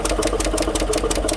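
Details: 2015 GMC Sierra 1500 Denali 6.2L, rough idle with intake induction removed and MAF disconnected: sharp regular tick, three to four a second, from the passenger side; loose rocker traced to a bent and broken number 6 intake pushrod; valve train tick.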